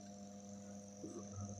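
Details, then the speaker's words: Floor fan motor after disassembly and re-lubrication of dried grease, tested without blades on first speed: steady low mains hum with faint high whine, running smoothly; second and third speeds also fine. "включаем на первую скорость заработал заработал"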